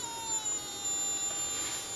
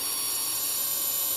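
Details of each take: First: Joule ringer circuit with a home-wound transformer and a 50 V 9,700 µF capacitor, now running on the capacitor alone. As the light is cranked up and the load increases, the transformer gives high, thin whistling tones that drift slightly in pitch like a faint siren. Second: Joule ringer with a home-wound transformer, running on a 50 V 9,700 µF capacitor with the light cranked up and drawing a lot of power. A thin, high, steady ringing whine holds, then the oscillator drops out of frequency as the capacitor drains; re-energizing restores it.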